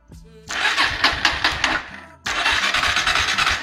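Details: Kawasaki W175 (TR) motorcycle: starter spins the engine in quick light strokes that never catch; weak compression, decompression plate/spring stuck so the decompressor won't release, causing hard starting.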